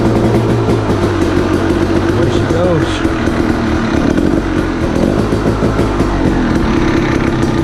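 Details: KTM 300 two-stroke, first start after top-end, transmission and shifting mechanism rebuild, Rekluse clutch removed; loud steady idle with a crisp even crackle and no knocks or misses. Normal, healthy idle.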